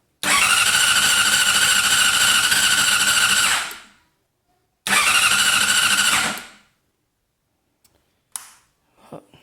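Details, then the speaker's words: 2006 Honda CBR600RR, ridden daily, fuses and nearly new lithium battery good, fuel pump primes, chain recently tensioned: two bursts of fast even cranking, about 3.5 and 1.5 seconds, never firing; cranks but won't start, cause unknown. "I hit the kill switch you can hear the fuel pump Prime I'll do it again you can hear the relay but hitting the ignition just cranks doesn't kick over"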